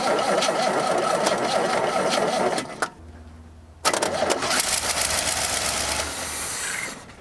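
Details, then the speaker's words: GM truck with Quadrajet carburetor and HEI distributor: engine runs rough, cuts dead the instant the key leaves crank, then fires again; a wire feeds the distributor 12 volts only while cranking, so it loses power on release. "Okay, so I made it stop whenever I let off of that. So what's happening is whatever wire is down there, one of them goes directly to the HEI distributor."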